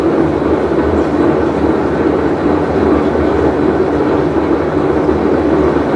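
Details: Whirlpool Cabrio washer, full wash cycle: loud steady rolling train-like rumble, unbroken through the cycle, from a bad tub bearing.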